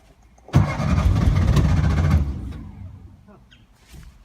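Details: 1950s Porsche 356 Speedster: the starter cranks at about three turns a second for over 1.5 seconds, but the engine never fires. It cranks but won't start; the helpers suspect no fuel.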